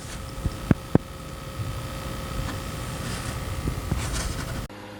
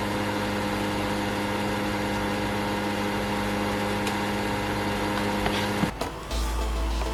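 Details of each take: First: PlayStation 5 disc edition after fan noise fix, mic beside the console during a game: just a faint, steady hum with a thin whistle-like tone and light controller clicks; fan running quiet and healthy. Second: PlayStation 5 disc edition console, new out of the box: steady electric hum with a buzzy edge that holds then shifts; fan vibration buzz from loose fan mounts vibrating against the housing.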